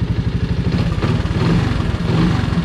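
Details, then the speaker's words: 1985 Honda ATC 200S three-wheeler, 165 original miles, after a part swap: an even quick single-cylinder idle with only a faint valve tick. The tapping noise is gone, normal idle. "yeah I don't hear the noise at all I just hear the vals well that's pretty crazy right there"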